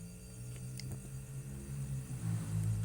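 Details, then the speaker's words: Refrigerator compressor switched through an added Omron relay and thermostat setup, tested after wiring: steady low hum that builds slightly and holds even, no knocks or rattles; compressor running normally. "Apakah benar hidup yang bunyi ini cetik anda bisa dengerin ini yang bekerja"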